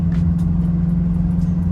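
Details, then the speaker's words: Turbo Honda S2000 in neutral, after calibration; before that, idle RPM was very high. Low, steady drone at one pitch with no hunting or surging, now a settled, quiet, smooth idle. "it's perfect and it's super quiet now because it would just be screaming at is wasting unnecessary gas"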